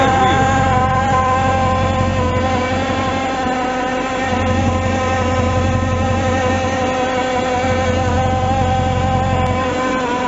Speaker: Entonces, ¿qué pasó ahí? Ese motor tenía un ruido anormal.